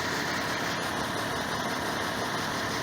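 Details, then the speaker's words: 2006 Toyota Corolla after new CV axle fitted, front wheels lifted, rear blocked, e-brake on: smooth even idle in reverse and drive with only a steady hiss, no clunk that was there before: normal idle, no drivetrain noise. "put it in reverse no noise put it in Drive no noise"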